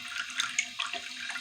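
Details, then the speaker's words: Toilet after flange replacement: steady hiss and trickle of water flowing into the tank continuously; fill valve running as water leaks past the flush valve and float drops. "this will get low enough to where it'll start letting just a little bit of water in or start trying to let it in through the flood through the the field valve"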